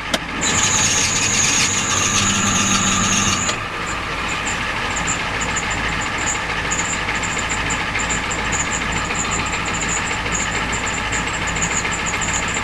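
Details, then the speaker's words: Ford 7.3L diesel cold start at about 50°F: shrill belt squeal settling into quick high chirps over the idle; belts are squealing, diagnosed as the problem. "Yeah, the belts are squealing. Hear that? Yep. That's the problem."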